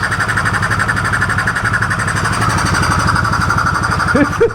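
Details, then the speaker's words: 2015 Polaris Sportsman 570 EFI, left outside for years with a reported blown motor, idling after its first start with the intake off: an even single-cylinder putter with intake roar and no knocks or misses. The engine is healthy, with no check-engine light. "this motor sounds absolutely quiet now it's loud because of that intake not on there"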